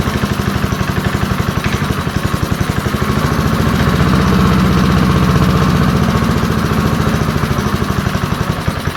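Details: Early-1970s BF Goodrich push mower, a barn find that sat for years with a seized engine, now freed and running outdoors after carburetor diaphragm work: an even single-cylinder putter that picks up slightly midway, then settles smoothly. Normal running.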